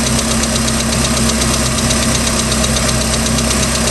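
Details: Ticking noise on a 3.0L MerCruiser boat engine, started at beginning of season, second owner; steady run with a light, fairly quick, uneven but persistent tick, cause unknown.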